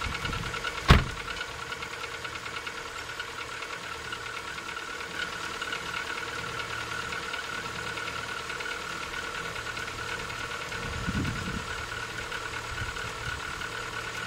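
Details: Rover 25 1.4 K-Series on a cold start at idle: faint hollow knock under a steady engine drone, suspected piston slap; a background squeak is a door or gate.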